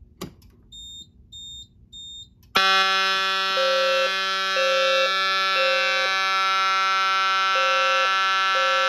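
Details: Key-only pull station on a fire alarm test board opened and activated; a few faint chirps, then horns burst on, one continuous and one pulsing in groups of three, a proper general alarm.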